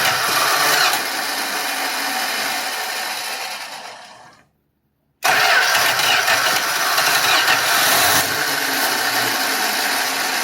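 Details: 1966 Dodge Dart, 225 slant six, after replacing the Holley 1920 with a cheap imported Autolite-style single-barrel carburetor and fixing the fuel inlet plumbing: loud, uneven cranking, brief silence, then it catches and settles into a steady run; starts cleanly.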